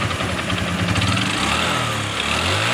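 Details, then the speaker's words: Honda Supra X 125 FI motorcycle idling with rough, gravelly clatter heard from the middle of the engine deep in the crankcase; suspected worn connecting rod (stang seher), engine to be disassembled. "suara kasar terdengar di lebihin bagian tengah ya ini terdengar kasar"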